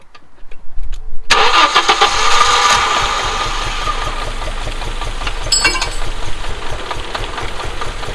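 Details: Audi 2.2 Bosch K-Jetronic with new-old-stock injectors, idle screw turned down from about 2000 rpm, just started: catches to fast lumpy idle with irregular pops; owner suspects over-fuelling, plans leaning mixture screw, adjusting idle and sensor plate.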